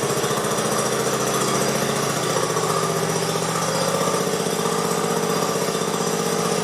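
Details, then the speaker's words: 1969 Sunset Orange Patio tractor after rear end fluid change and brake adjustment: single-cylinder engine chugging at a steady fast beat, no knocks or rattles; pretty quiet now versus noise before. "although I think we got it pretty well it's pretty quiet now which is nice you could hear it making some noise before"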